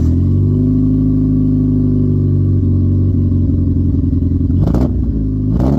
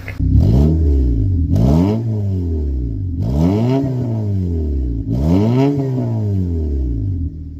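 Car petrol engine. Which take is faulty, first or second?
first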